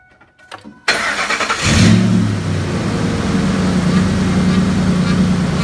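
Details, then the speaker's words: 2005 Ford F-150 5.4 L after power steering pump replacement and air purge: engine cranks, catches and settles into an even idle with no whine or groan; pump now quiet, night-and-day versus the noisy old pump. "all right so I think we have as much air out of it as we're gonna have um night and day difference here as far as the sound goes"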